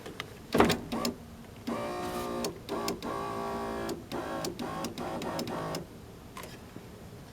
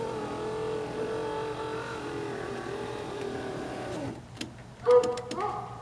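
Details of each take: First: And looky there, there's the arm that is falling off the window track. So what the window's been doing is it's been being pushed up and down by the actual piece of metal down here for the window regulator, when it's supposed to be fitted on this. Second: Toyota Corolla rear power window after a cheap fix: even motor whir for about four seconds, no grinding or binding, then soft clicks as it stops; window rises normally.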